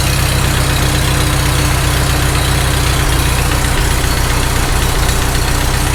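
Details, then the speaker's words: Farmall H tractor engine at idle, mystery knock since first start; loose rocker wedged with screwdriver to take out end play: dull knock about four a second persists, loudest at one spot, owner thinks cylinder 3; source unconfirmed. "I hear it. It's still there. That rocker is not closing up to the block at all. That's not moving. It actually sounds the loudest right there."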